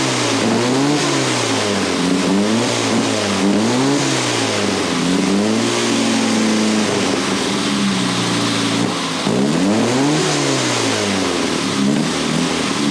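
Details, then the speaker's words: 1962 Austin-Healey Sprite after 10+ years' storage, after teardown fixing a bottom-end knock: clean blips rising and falling smoothly, crisp exhaust, no knocks or misses; slight smoke, owner suspects weak cylinder 4. "Well, she smokes a little bit. That's probably that cylinder number 4. It's a little weak, but tried to give it the old Italian tune-up, thinking it might fix itself."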